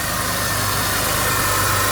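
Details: 2001 Buick LeSabre derby car, smoking from leaking valve cover gaskets: steady, even idle hum with no knocks or misses; normal idle, engine runs great.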